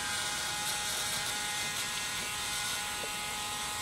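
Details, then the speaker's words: John Deere 5065E tractor refusing to crank, four-year-old battery tested good on charge and CCA: thin high electrical buzz with faint ratchety flutter from the starter area, no cranking, a new noise; starter/solenoid fault suspected, not confirmed. "I don't know if you can hear it or not but there's a buzzing taking place over here it sounds like it's coming from starter"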